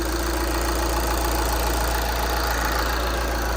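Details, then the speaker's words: 2014 Volkswagen Jetta SportWagen TDI turbo diesel, salvage rebuild, started with a battery charger attached: after a click and no start, it catches and settles into a smooth, even idle with a soft clatter. Normal idle. "there it is yes yes let's go it sounds so good wow"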